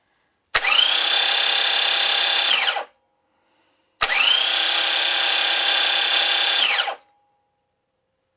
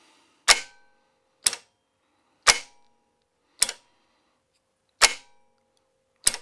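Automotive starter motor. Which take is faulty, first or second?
first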